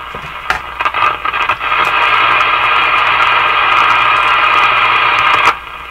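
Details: General Electric KL-70 AM/SW radio on AM band at full volume: loud steady hiss with sharp crackles and pops at start and end; crackling from a loose ground connection.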